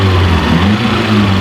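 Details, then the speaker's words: Ford KE TX3 Laser turbo, B6T twin-cam engine, revived after injector cleaner and left running to heat-cycle; steady even idle with a smooth low rumble and no misses, knocks or ticks; normal idle. "she's a gem. I'm happy. Oh, that sounds solid."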